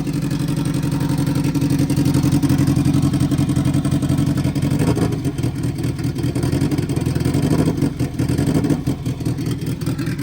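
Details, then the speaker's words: Subaru GC8 with 2006 STI engine swap, first start, loud open exhaust, running on its own without throttle: uneven stumbling idle pulse breaking rhythm; owners think it sounds like it's misfiring. "Well, she started. Yeah. Sounds like it's misfiring."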